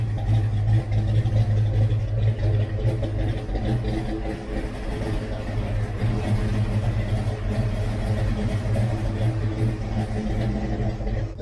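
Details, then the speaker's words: V8 Foxbody not run in a long time, idling a little rough with a deep, slightly uneven lope and faint puffing tick from exhaust header leaks; new bolts and gaskets to fix; no tapping or knocking. "not been running in a long time so you know as you can hear a little rough we do have some header leaks we have new bolts & new gaskets for that so we're gonna fix that"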